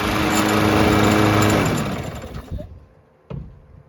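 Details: Lawn Boy 20-inch self-propelled mower after carb cleaning (the no-start was blamed on a badly oil- and dirt-soaked filter): the small engine runs steady and even at high speed, then winds down and stops cleanly; running properly.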